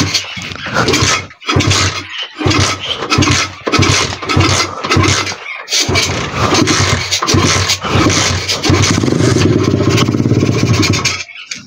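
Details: 125 cc pit bike single sputters with uneven bursts and dropouts, never settling to steady idle, keeps dying; owner blames the carburettor.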